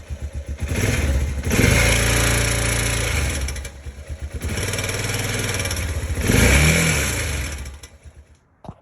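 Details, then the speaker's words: 2005 Honda Rincon 650 ATV after timing chain tensioner replacement: starts and is blipped a few times, pulling cleanly with no chain rattle at idle or under revs, unlike the loud startup rattle before; healthy. "now let's start it compare it to what it was before [Music] sounds smooth none of that crazy rattle at the day"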